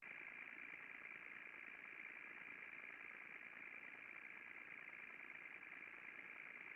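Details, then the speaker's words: VFD-controlled motor bearing heard by ultrasound after greasing: smooth even hiss with steady high drive whine, friction gone, only VFD noise remains, dB levels dropped sharply. "So we've totally cleaned up that signal now. All we're hearing is the VFD noise."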